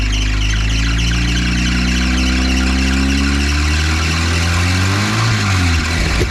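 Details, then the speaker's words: 1953 Willys CJ3B stored for years, running on dirty 2-year-old 10% ethanol fuel while the choke is sought. A loud engine with a chirpy, bird-like squeal whose pitch wanders with revs; the source is not pinned down. "where's the choke at I don't know where the choke is right here crank it sounds like birds"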